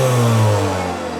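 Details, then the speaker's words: Makita DVC750LZ 18V LXT brushless L-class vacuum, acquired non-working, run without filter after apparently being used on dust with no bag or filter: motor hum sags in pitch after half a second with a throbbing, uneven undertone; significantly off balance, cause unknown. "Okay, it's running, but it's significantly off balance. So, what's caused that?"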